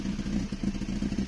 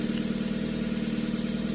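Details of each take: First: Toyota 2E with 272-duration TRD-spec regrind camshaft, first cold startup after setting valve clearances: uneven loping idle that surges and dips, needs throttle to keep idling; normal lumpy performance-cam idle. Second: Toyota 2E engine after fitting a 272-duration TRD regrind camshaft, at idle before valve adjustment: quick even top-end ticking about three per second; valve clearances incorrect, later set to 0.008.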